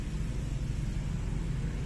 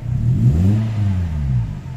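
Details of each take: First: Toyota Altis 16-valve automatic, engine warm, in drive: low, uneven idle rumble sagging and shaking with gear engaged, also shakes in reverse; idle drops to about 1000 rpm; cause found as dirty idle air control valve. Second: Toyota Altis 16-valve automatic after idle air control valve cleaning: throttle blip to about 3,000 rpm rises smoothly, then revs settle slowly back to idle without dipping or stalling; idle air control responding normally.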